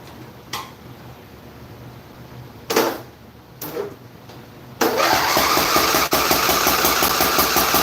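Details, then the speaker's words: Craftsman LTX1000 riding mower on a weak battery with a charger attached, fuel possibly dried. Cranking bursts, then it runs loud with an uneven popping beat; owner suspects backfiring through the intake, possibly a bent valve on one side. "You know what I think that could be too is it stuck it out cuz it sounds like it's backfiring through the intake. So it could be a bent valve and it sounds like it's that side."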